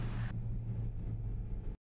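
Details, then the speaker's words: 2015 VW Polo on a test drive after misfire repair with injectors manually tested, check engine light cleared: steady, even engine hum reaching nearly 4000 rpm, no misfire or stumble. "Ayan abot na siya ng kulang 4000 RPM Wala siyang palya walang palag ang makina Ayos na siya As in Okay"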